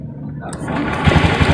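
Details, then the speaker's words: Honda Beat FI injection scooter that wouldn't start after servicing: with idle air control valve connector unplugged, starter cranks quickly with firm, even compression pulses and engine starts; plugged in, cranking is weak. Strong cranking with valve unplugged. "Kemudian saya kontak kemudian akan saya starter tuh ya. Hidup kan? Saya matikan lagi ya. Saya starter lagi. Ini dengan posisi terlepas ini ya."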